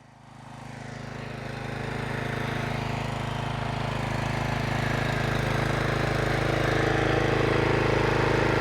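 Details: Troy-Bilt pressure washer with a Briggs & Stratton Quantum engine, after carburetor service on ethanol-free fuel, started with choke at full throttle and not yet warm: steady, even beat with no misses or surging. The ball valve stopped leaking once pressurized.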